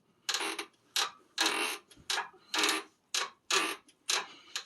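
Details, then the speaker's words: Mercedes W211 E500 4Matic: quick, sharp rubbery squeaks about twice a second as the front sway bar is rocked, from worn bushings that are integral to the bar, so the bar will be replaced; also heard while driving. "But you can hear how squeaky this is."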